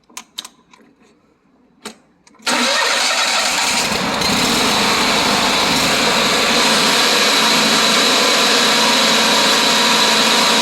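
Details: Lawn mower after voltage regulator replacement for a not-charging fault, charging voltage about 13.8–14 expected: quiet, then the small engine catches after about two seconds and settles into a steady, even run; normal start and idle.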